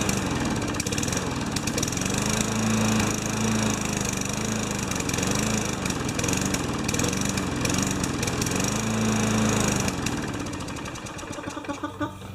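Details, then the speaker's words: Junkyard 5HP Tecumseh mower engine: uneven stumbling putter about four beats a second, surging and sagging then fading; not much compression. "it gets my arm yank off huh doesn't have much compression"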